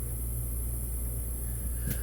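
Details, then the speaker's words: Nest thermostat drops the cooling call to only 12–19V, not zero: the rooftop compressor keeps humming steadily, contactor held in while the furnace fan drops to low speed, which would lead to icing and water leaks. "so right now the voltage is not low enough to allow the unit on the roof to shut off you can still hear it running"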